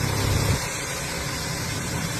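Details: Vauxhall Astra petrol engine idling evenly, steady low hum with no stumble or miss, after fixing a misfire by replacing worn spark plugs unchanged for about 37,000 miles (gases leaking past them) and the coil pack.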